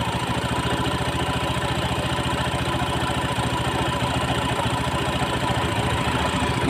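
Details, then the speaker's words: Honda Beat FI scooter idling after reassembly: a steady, even idle with a smooth regular pulse and no CVT rattle; the fault had been only the worn clutch plate ring. "sudah suaranya sudah halus ya jadi ee motor ini teman-teman bisa buka ya ya Ini motor ee jadi ini suaranya sudah halus dan permasalahannya cuma hanya di ring plat eh ring plat kapas gandanya ya"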